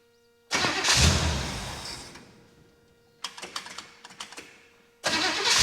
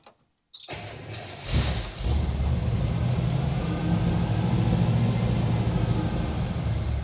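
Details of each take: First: 1964 Chevy Bel Air with 350 small block and Carter AFB carb, new starter and cables: starts, revs briefly, dies within seconds, recranks in short bursts then catches; lopey idle must stay 800–1000 rpm or it stalls. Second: 1964 Chevrolet Bel Air with a replacement 350 small-block V8, sat for years, after new spark plug wires and a couple of gas pumps: cranks briefly, catches within a second and settles into a deep, steady, even idle; sounds healthy.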